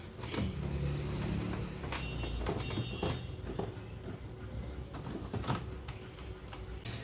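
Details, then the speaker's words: HP Ink Tank 316 printer powered on after E4 error and grinding-sound repair (decoder strip and sensor refitted, scanner unit reinstalled): irregular clunks and short motor whirs as carriage shuttles and rollers turn. Normal printer startup. "Printer हो गया है हमारा start. अब एक print दे के देखते हैं।"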